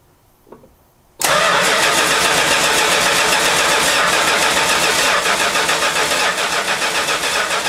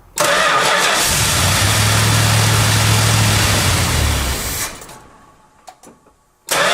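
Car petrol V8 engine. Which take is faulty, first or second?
first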